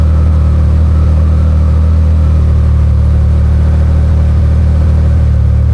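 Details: Can-Am Maverick R with Evolution Powersports flex-fuel system running on tested 85% E85 after a cold start (meter read up to 82%): steady, even low engine drone, no knocks or misses; normal smooth running.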